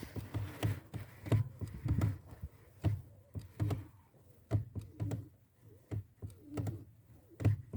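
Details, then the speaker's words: 1992 Volkswagen Passat B3 (35i), heard inside the cabin at the pedal assembly: dull, dry crunching clicks with each clutch pedal stroke, about one a second, that fade on repeated presses then return; clutch pedal crunch from dry pivot friction. "volkswagen passat бы 3 92 года выпуска при нажатии на педаль сцепления появился характерный звук наподобие хруста"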